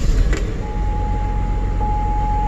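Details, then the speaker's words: 2005 GMC Envoy petrol engine after rodent damage, idling just after start-up with a rough, uneven lumpy rumble and door shaking; misfire identified at cylinder number three. "it is running rough it definitely feels like a misfire"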